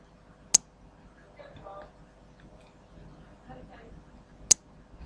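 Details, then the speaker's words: Crude relay-based buck switching regulator with about 20 V input and no load, microphone up close to the relay; sharp single clicks several seconds apart as the relay cycles occasionally, which is normal. "I don't know if you can hear that occasional ticking noise that it's making maybe if I put the microphone right up close to the relay"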